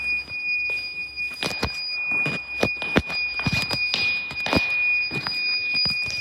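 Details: Weird beeping noise at Westminster School Amman, source unknown; thin piercing high electronic tone rings on over footsteps and handling knocks, recurring.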